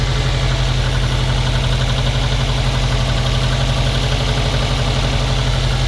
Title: стук мотора "на холодную"